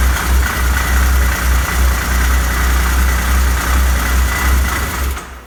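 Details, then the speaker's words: Arctic Cat 7000 snowmobile, Yamaha 1049cc triple, about 12,000 miles, side cover off, stalls seconds after start: low loose rattling throb at slow idle, almost like a miss; clutch rattle at low rpm, valve adjustment suspected for stalling. "What you're hearing is a clutch rattling. I got the side cover off the other side, just clutch noise. But yeah, when it gets down to low RPMs like that, it really makes the clutch rattle."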